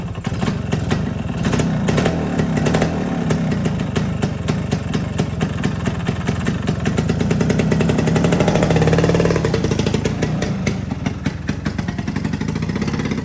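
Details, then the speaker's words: 1973 Suzuki TS250 Savage two-stroke single, barn find after 25 years, on regular gas before first ride: crisp, even popping rising and falling cleanly with throttle, no misses or rattles; normal two-stroke running. "seems to be running well. Let's see if this thing will go"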